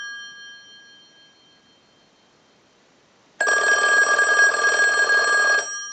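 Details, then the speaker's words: 2500 desk telephone on final checkout, ring cycle sent from a telephone analyzer like an incoming call: quiet pause, then a clean, steady two-second bell ring with bright, even tone; bell and ringer circuit work properly. "now what we can do is use the analyzer and send a ring cycle like you were getting a call so we'll start that"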